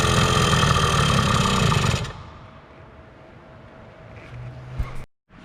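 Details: 2000 Yamaha PW80 two-stroke on a newly fitted genuine Yamaha Mikuni carb, replacing a leaking Chinese carb, kick-started at choke-off: fires and runs with a loud steady crackle about two seconds, then drops to near quiet; normal running.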